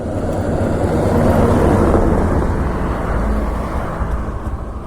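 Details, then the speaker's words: TVS Raider 125 petrol motorcycle during a mileage test, petrol tank run completely empty after the bike stalled while riding: the starter keeps cranking at a steady rate but the engine never catches, also tried in neutral; crank, no start due to empty fuel tank. "లేదు guys, అస్సలు అంటే అసలు start అవ్వట్లేదు. Petrol మొత్తం empty అయిపోయింది."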